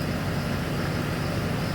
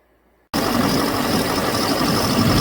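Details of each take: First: 2007 Chevrolet Silverado 6.6 Duramax LMM diesel with used replacement engine: steady even smooth idle after cylinder 6/7 misfire and injector codes seemed to clear by cycling connector 108; glow plug issues remain. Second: 2007 Chevrolet Silverado 6.6 Duramax LMM diesel with replaced used engine: rough idle misfire with injector 6 and 7 control circuit codes; tech leans toward failed ECM injector driver; later seemed to clear after cycling connector 108.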